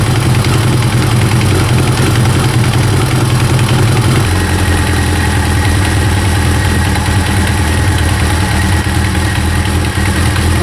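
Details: First-generation Kawasaki ZX-9R four-cylinder idles smoothly and evenly, no rattle or tapping, after resetting the cam chain tensioner to fix an engine knocking noise.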